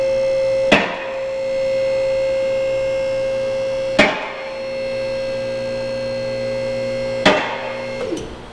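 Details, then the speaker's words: BendPak two-post car lift after tightening equalizing cables: single crisp clack about every three seconds over steady hum as both arm locks engage together; lift now level. "all right that is much better"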